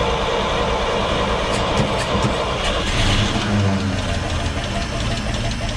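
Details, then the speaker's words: 1942 Blitz truck with new carburetor, started on starter lever: engine fires up and settles into a loud busy fairly steady beat, no clear knock; running acceptably. "Hopefully it runs nice and smooth this time with a new carby."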